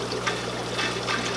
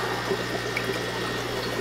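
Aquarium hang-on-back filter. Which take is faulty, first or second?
second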